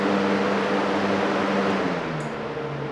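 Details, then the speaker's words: DIY Arduino-controlled shop air cleaner fan: set to low via relays, the motor hum sounds high, then set high it drops to low. The two speed wires are swapped. "it works first try although with that noise it sounds like it's high so I think I probably have the wires mixed"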